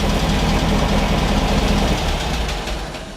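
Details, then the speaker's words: Beck 550 Spyder replica, air-cooled VW flat-four on Dellorto carburetors, first run after fuel system repair: even, lumpy idle with a steady beat, no misfire or hunting. Idling on its own, sounds well tuned and healthy. "well that's amazing listen to that Idol this is great I think that sounds awesome"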